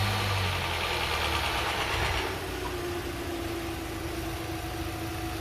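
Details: 2012 Hyundai Elantra after engine flush, top-end cleaner and fresh full-synthetic oil change: steady even idle with smooth low drone, no knocks or ticks; engine running clean and healthy.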